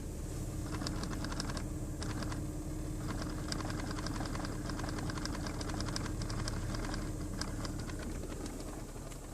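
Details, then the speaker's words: 2005 Toyota Sienna XLE: fast, uneven bubbling pops about four a second over a low hum under the dash, like fluid gurgling; occurs with key on whether or not the engine runs, cause unknown. "it sounds like water gurgling through something it can happen when the engine is running or not the key has to be on"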